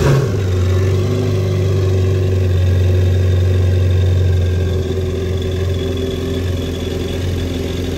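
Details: 2019 Yamaha GP1800R supercharged 1.8L WaveRunner, 135 hours, after replacing the failed supercharger clutch: a strong steady run settling down from a rev, with the supercharger gears whirring cleanly. Normal.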